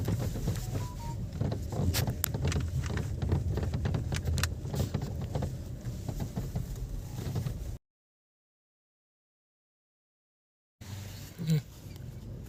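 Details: VW Virtus/Taigun while driving: light irregular ticking and buzzing rattles over steady road rumble, from door beading/seals rubbing and rattling in all doors.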